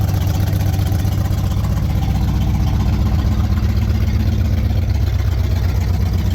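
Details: 1968 Pontiac Firebird 400 V8, just started for the first time since 1986 after cleaning and gapping the points, with a temporary fuel source: steady, loud idle with an even low burble at about four pulses a second, no knocks or misses; normal idle.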